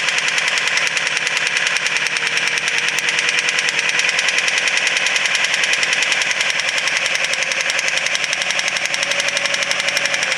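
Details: Subaru WRX STI with engine problem: starts and idles with loud, rapid, severe ticking heard all over the engine by stethoscope, idle sags, losing RPM and dying; source not yet found.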